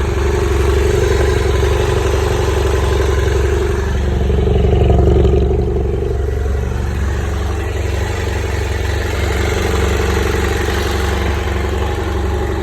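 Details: BMW F800GS twin, hot engine: idles and revs with a busy, clattery ticking at about four per second over the exhaust; normal when cold, abnormal mechanical noise when hot.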